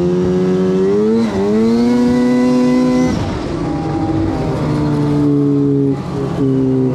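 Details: 2006 Arctic Cat M7 two-stroke snowmobile running well before its breakdown: high buzzing note climbing and dropping with throttle, clean and even, no misfire or bogging.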